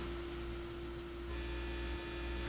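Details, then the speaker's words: Sony PS-X70 turntable with intermittent hum and one channel lost, ground wire disconnected, played through a garage stereo: steady low hum under quiet background; mains/ground hum, cause not yet confirmed, RCA cables suspected. "so there's definitely going to sound when I disconnect the ground and I get a little bit of hum"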